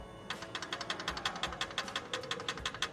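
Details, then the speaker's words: 2022 Honda Pilot, 87,000 miles: customer reports engine knocking; sharp, light metallic ticks about three times a second over a quiet engine, internal knock requiring a replacement short block. "This 2022 Honda Pilot with only 87,000 miles came in after the customer stated they can hear a knocking from the engine."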